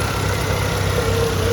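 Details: Chevy S10 engine, first start after the old battery was revived with added acid and boiling, warming up before a service: smooth, steady low idle with an even beat and no knocks or ticks; runs normally.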